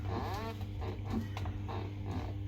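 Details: LG 10 kg top-load washer with a direct-drive motor: a heavy, steady low rumble with rattly bursts during the spin cycle. There is loud vibration from the motor area, where a broken part was found.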